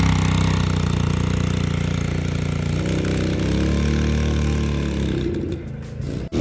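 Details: 2005 Baja 90 quad running on fresh oil after an oil change: smooth and even with a steady low thrum, easing down before shutoff; nothing rough or knocking.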